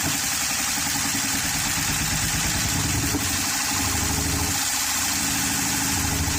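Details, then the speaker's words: 2013 Honda Pilot J35 V6 after jumped timing belt: loud uneven idle with a ragged hissy roar and no steady beat, struggling to stay running like it has no compression; suspected bent valves or flooded cylinders, unconfirmed. "So let me see if I can get it to stay running. Stay running."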